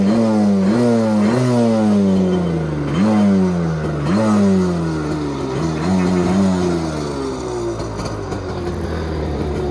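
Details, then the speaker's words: 1986 Kawasaki X2 two-stroke jet ski, first start since 1989 after sitting in a basement, on premixed fuel with oil primed; fires right up, revs blip up and settle about every second, climbing cleanly with no misfire, smoky from excess oil; normal revving. "so I primed some of that oil and I know it spins over as you can see in the previous little clip so let's go ahead fires right up man this thing sounds so good"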